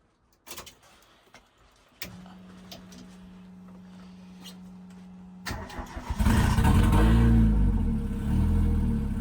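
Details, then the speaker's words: CA18DET-swapped JDM Mazda Miata cold start after vacuum line fixes and idle adjustment: a few clicks, short whirring crank, catches at once and revs up cleanly; cold start problem solved, normal cold start. "so come straight into life no problems so yeah obviously the cold start problem now being solved which is sick"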